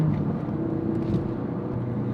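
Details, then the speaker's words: Tuned RS while driving: steady low drone under road noise in second, third and fourth gear but not in fifth or sixth; a drivetrain hum whose cause is unknown. "It does it in like second, third, fourth. It doesn't do it in fifth and sixth. I don't know what's going on, man."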